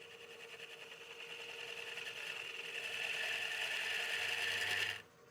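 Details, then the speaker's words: Lathe cutting into the undercut of a partially seasoned walnut bowl held in a chuck. A thin buzzing ring builds and climbs as the cut deepens, which is tool chatter. The chuck dislikes the force; the remedy is a lighter cut or a different cut. "so I'm getting a little bit of chatter I'm just going to scoot that up a little bit so whenever you're in a Chuck like this if you hear a lot of weird noises that means the Chuck doesn't like the force being put on it"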